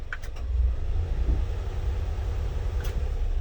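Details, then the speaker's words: 1995 Honda Acty SDX 4x4, 660cc 3-cylinder, 5-speed, 106,000 km, after timing, water pump and full maintenance. The low, steady idle shifts slightly, then holds even as the AC compressor loads it; smooth, no misses. "okay and that's with the ac on so let me demonstrate maybe you can hear the rpms i don't know if the microphone is going to catch that dropping"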